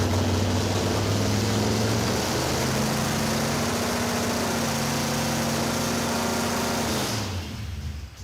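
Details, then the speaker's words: Freshly rebuilt V8 with roller camshaft in a '56 Chevy, first fire: loud, lumpy, lazy uneven beat at fast idle, then shuts off; ignition timing too retarded (initial about 10 degrees), to be advanced. "The ignition timing's too retarded, so I'll advance it a little bit."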